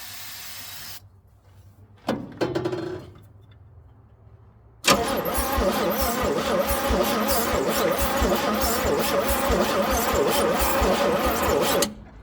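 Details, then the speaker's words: Old Chevrolet C10 on starting fluid in humid weather: starter churns slowly and evenly, about four turns a second for seven seconds, never catches, little firing; sluggish hard crank, starter wire getting hot, bad ground or cables suspected. "So it is cranking a little bit hard, but and not sounding like we're firing too much."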